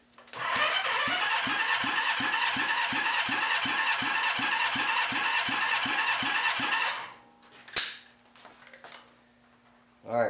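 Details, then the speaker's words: Honda CB550 motorcycle engine, compression test with gauge: steady cranking with even strokes, then the starter stops; reads 95 PSI against 170 per the manual, low compression needing a leak-down test. "we're showing 95 PSI. That's horrible. Um, this bike should have 170 PSI per the manual."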